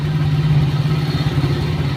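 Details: Honda Vario scooter that lost radiator coolant and overheated with the warning light on, now idling with the water pump circulating during a 10-minute test. Steady, even low hum with no knocks or misses; normal idle.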